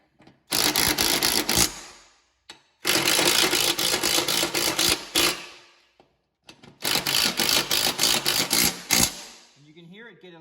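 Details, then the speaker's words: Impact wrench tightening the blade hub assembly bolts (part 918-04822B) on a Cub Cadet RZT S zero-turn mower deck: three bursts of rapid hammering, the note turning thin and tinny as each bolt seats against the deck, meaning it's tight. "When it sounds tinny, that means that this bolt is hitting the mower deck, and you're pretty much tight."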